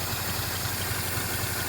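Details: 1951 Pontiac Chieftain straight six, first start in 25+ years after filing the points and adding gas: low, even thump about four times a second with a soft steady hum; idles smoothly.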